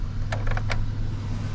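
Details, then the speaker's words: 2003 Chevy Silverado 1500 V8 after fuel pump replacement: low, steady hum with an even beat, no stumble or hunting; idles well and settles back cleanly after revving. "and as we can see truck runs idle well go ahead and just revs and goes back down to idle very"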